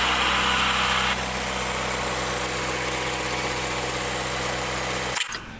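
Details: 2016 Ford Mondeo 2.0 TDCi common-rail diesel after replacing a clogged fuel filter that had caused rough idle and fuel pressure drops: steady, even idle with no misfire or knock, then a clean shutdown. Fuel pressure now correct.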